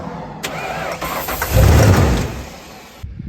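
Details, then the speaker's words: 1995 Ford Bronco parked for years, fuel pressure dropping, after fitting a new fuel pressure regulator (old one possibly gummed by old gas): starter cranks, engine catches on starting fluid under a second with low rumble and dies; injectors suspected, noid light test next. "all right so it will hit off a starting fluid but I'm going to put this noid light tester in"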